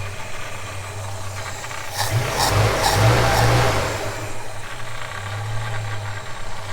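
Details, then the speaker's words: Holden HK petrol engine, newly installed with the PCV valve rattling, ignition timing not set and possibly too far advanced: idles with light blips, smooth and quiet with no knock or tap; sounds healthy. "She sounds good, she sounds quiet."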